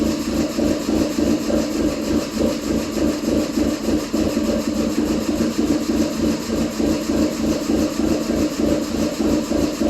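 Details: 2007 Subaru Impreza 2.5i, warm, timing belt reportedly changed 10,000 miles ago: uneven lumpy idle pulsing about three beats a second; cam advance valves go wide open after warm-up, smooths when unplugged; rough idle when warm.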